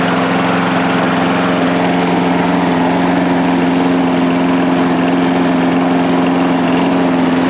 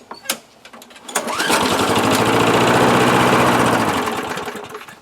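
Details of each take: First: 1998 Murray 3-in-1 mower, a trash find with its manual throttle control removed, started after a couple of primes with the spark plug reconnected: a steady, even single-cylinder drone at constant pitch with no hunting or misses. It runs healthy. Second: 1998 Murray 3-in-1 mower, trash find, manual throttle removed, has compression, primed; pull-start catches, runs rough about three seconds then dies; starts and dies, likely gummed carburetor bowl bolt (main jet).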